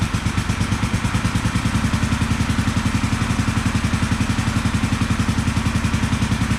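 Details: 1974 Honda CB450 twin, customer bike sat for years, after ignition timing adjustment on both cylinders: even, regular exhaust beat at steady idle, both cylinders firing cleanly with no misses.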